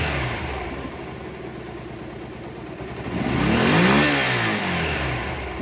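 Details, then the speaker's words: Honda CB250 café racer, idle adjuster cut, idling a bit low: engine picks up cleanly on each throttle blip and drops back to steady idle, no stumble or hesitation; owner thinks it sounds better and healthy. "I think it sounds better, guys. I don't know what you think, let me know."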